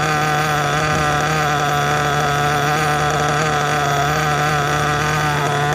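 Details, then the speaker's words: New nitro engine during step-1 break-in, preheated and idling two tanks; buzzy high-pitched, steady, even idle with slight burble, smooth but rich with lots of unburnt fuel exiting; normal. "Idle sounds good. Idle sounds smooth. At least for how rich it is. A lot of unburnt fuel that's coming out of here."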